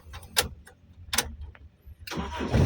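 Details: Toyota Kijang LGX EFI, whose fuel pump wire had been jumpered directly; a few short cranking bursts, then the engine catches cleanly and settles into a steady idle, starting normally.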